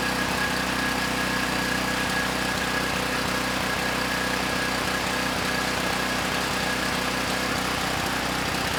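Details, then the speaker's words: Campbell Hausfeld GN503100AC 5000 W generator, 9 hp Briggs Vanguard single-cylinder, started on choke: steady drone with uneven stumbling beats about three a second; engine sounds good but clone carburetor runs it way too rich. "well that was very interesting I guess first off the engine itself sounds good uh the carburetor not running the engine so well it's running the engine way too rich"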